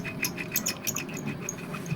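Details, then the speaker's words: Ceiling fan bearing removed and turned by hand, giving uneven scratchy rasps and ticks; it was found jammed, with the fan turning but the bearing not, and is worn out. "देखिए यह bearing नहीं घूम रही है। पंखा घूम रहा है। यह देखिए बैरिंग घुमाने से दोस्तों यह बैरिंग आपको आवाज सुनाई पड़ रही है।"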